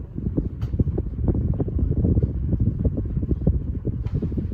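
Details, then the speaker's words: 42-inch Alaska ceiling fan on high speed after tightening the blades: steady low whoosh of air with a soft rhythmic blade thump; nearly wobble-free, with only slight shaking of the pull chain. "Dang, this fan is nearly wobble free. Probably because I tightened the blades."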